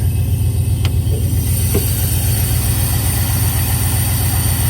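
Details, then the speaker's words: 1995 Chevrolet Camaro Z28, 5.7 LT1 V8 with six-speed manual, long-sitting car with low oil pressure: deep low idle with a faint, fairly regular knock about four per second underneath, suspected worn bottom end; engine needs an overhaul. "while this thing's running let's listen see if you can't hear the knock"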